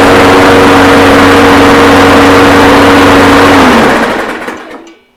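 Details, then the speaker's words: Toro Recycler mower with Briggs & Stratton engine, likely low hours, freshly cleaned, oil looks fine: after a pull it holds a steady, even note without surging or missing, then winds down cleanly at shutoff; smoke is steam, water cleared, running well. "I'm not gonna lie sounds pretty nice pretty nice little and very good actually that smoke you're seeing is actually Steam but it's running it's really good"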